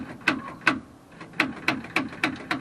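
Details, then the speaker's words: 1955 Oldsmobile Super 88, 324 four-barrel Rocket engine: sharp metallic clicks from the external starter solenoid with no cranking, battery known good; owner suspects a sticky solenoid. "I think the, you know, it's just that external solenoid. It's just sticky"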